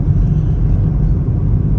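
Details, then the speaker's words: Worn front wheel bearing heard from inside the cabin while driving: a steady low drone. The side is found by turning the wheel; if the hum grows when turning right, it is the left bearing. "Вот у меня сейчас гудит подшипник спереди смотрите едете когда загудел подшипник просто на ходу"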